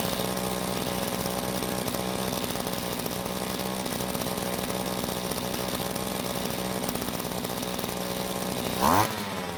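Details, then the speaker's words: Rare vintage Green Machine string trimmer: steady high-pitched two-stroke buzz at even revs, engine running cleanly, but head not spinning; possible stuck clutch, damaged drive shaft, bad gearbox or shaft coupling. "As you can hear, the engine sounds very good, but as you can see, the head isn't spinning, so the possible problems are a stuck clutch that isn't engaging the clutch bell, a broken or damaged drive shaft, or even a bad gearbox."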